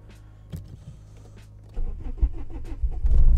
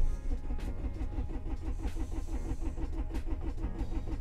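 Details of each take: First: Standalone ECU (Speeduino/Megasquirt, TunerStudio) car cold start at 0°, cranking enrichment raised from 100% to 120%, no idle control valve fitted: short quiet cranking, then catches promptly into a firm, steady run, a normal clean cold start. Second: Cold start on standalone ECU (Speeduino/Megasquirt), coolant at 3°C, cranking enrichment at 100% (too low), some throttle held, no idle control valve; steady rapid cranking chug that never catches. Crank no start from too-lean enrichment.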